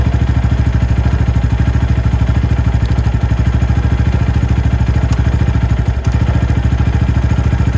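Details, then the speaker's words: Venom X22R Max 250cc motorcycle idle, adjusted by T15 torx screw on top of throttle body: quick, even single-cylinder thump, briefly rising then set back down, steady with no misses or rattles; healthy idle. "So you did hear it go up as I started to go up, but I just put it right back down."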